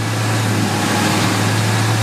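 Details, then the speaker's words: 2002 Ford F150 Lightning 5.4 supercharged V8, earlier P0171/P0174 lean codes, after supercharger vacuum-line checks and some runtime: steady, even low hum at idle, no misses or hunting; fuel trims within ±5, long-term trims 0, normal idle. "So after a little bit of runtime, it started acting normal. Long-term trims are 0 and 0."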